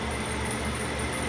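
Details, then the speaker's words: Jet metal-cutting band saw after the drive belt was tensioned by pulling the motor back: a smooth, even hum with a faint steady tone and no slapping or squeal, quieter than its earlier raw sound; normal running. "and it's quieter i don't have any footage of what it sounded like but it sounded real raw"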